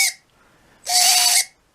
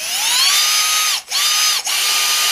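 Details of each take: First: Red Cat 550 brushed RC motor, out of the truck and run on the speed controller, screeches sharply when letting off or at certain throttle points; likely needs lubrication at the motor ends and cleaning. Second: Red Cat 550 brushed RC motor, after cleaning and lubricating the ends to cure squealing: clean whine climbing quickly and holding steady on each throttle burst, then dropping off, no squeal; healthy motor.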